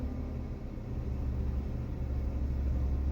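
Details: Jeep "Delilah" at idle after garage fitted a new camshaft bearing and washer and replaced the camshaft to cure an engine tick: deep, steady, smooth idle rumble with no ticking; tick gone.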